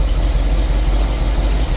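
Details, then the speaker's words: Willys with newly made manual choke: pushing the choke in a little smooths it into a deep, even idle with steady low rumble, no misses or stumbles; normal idle. "Push it in a little more. See how it smooths out?"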